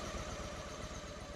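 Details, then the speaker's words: Carb sync on a twin-carb Honda Shadow VT750 V-twin (also described as "a05") at idle, with vacuum gauges on both carbs: the left carb reads about 20 and the other about 24. The idle lopes slightly unevenly because the carburetors are out of sync. "hopefully the lighting is not screwing you up but this left carb is down in the 20 range this is up in the 24 range so let's make an adjustment and see how it works"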